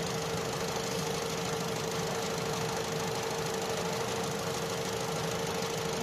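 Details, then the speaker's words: Opel Astra J 1.4 petrol idling after replacing spark plugs and the single ignition coil pack for a cylinder 1 misfire: smooth, even idle with a steady hum, no stumble; scanner now shows zero misfires on all cylinders. "Zero. Ăsta e history și a avut, dar acuma e zero. 0 la 2, 0 la 3 și la 4."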